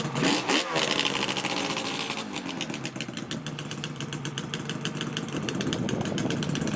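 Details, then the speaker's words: Freshly rebuilt Yamaha RZ350 two-stroke, first ride: starts up and settles into a crisp, even crackle, picking up cleanly on the throttle. Normal two-stroke running. "This thing felt really good. It ran really smooth, quite excellent."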